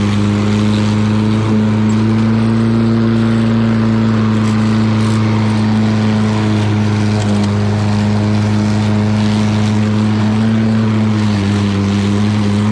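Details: Lawn Boy all-wheel-drive mower with Kohler engine, cutting and bagging grass: strong, even drone at steady pitch with no misses or knocks; normal running under load.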